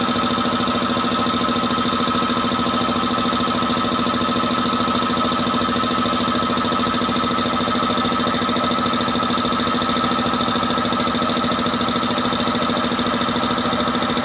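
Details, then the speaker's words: Multipro VBC 300-1/125 OW air compressor running on 180 V AC supply, filling toward 8 bar; steady even hum with regular pump beat, smooth and stable with no knocking or rattles, normal operation. "Tapi sebelumnya kita akan lihat apakah mampu kompresor ini mengisi angin pada tegangan 180 volt untuk mengisi angin di 8 bar. Oke, suaranya halus ya."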